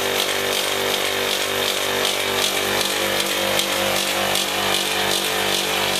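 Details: Single-phase Copeland ZB42KC scroll compressor (around 30 A) on a milk-tank condensing unit, run warmed up with a magnet on. It restarted pumping but ran noisier, with a loud harsh rasping drone and a faint pulse, then the noise changed and it appeared to stop pumping.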